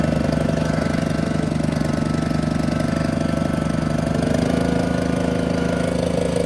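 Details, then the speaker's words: John Deere 400 with Kohler K532 twin, unrun for about a decade, on a makeshift hood-mounted fuel tank after a bad governor; electric fuel pump not working, choke cable freed. A fairly steady, slightly uneven chug of about two pulses a second; the carburetor needs adjustment. "okay transmission's good got to do some adjustments to the carburetor got the choke working got that cable freed up"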